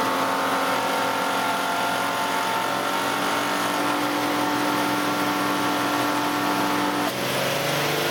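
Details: 2008 Nissan Elgrand E51 (ME51) 2.5L, about 90,000 km: with AC on and compressor working, odd whining noise from around 2000–2500 rpm at steady revs, shifting near end; present about three years, absent when compressor off; cause unknown.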